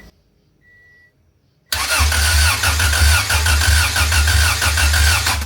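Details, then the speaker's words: Wagon on first crank after engine work, out of gear with no fuel in the tank: even cranking about three beats a second with strong, matched compression pulses; normal cranking. ">> Okay, it sounds might be in time. All right, now we got to put some fuel in it. >> Dude, it sounds healthy."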